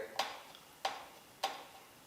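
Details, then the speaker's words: Smog 305 small-block Chevy: a tool passing the top of the bore gives a sharp single click about every 0.6 seconds as it catches a heavy ring ridge, bad enough that the owner wants it reamed off. "That 305 is so bad. I gotta knock that ridge clean off."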